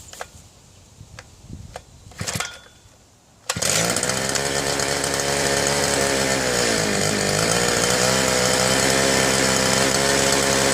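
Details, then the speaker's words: Southland two-stroke post hole digger auger, after new fuel lines and priming: a few pulls, then it fires and holds a buzzy steady run that sags briefly. It runs only on choke; a carburetor fault is suspected, not confirmed. "So far, it only wants to go on choke."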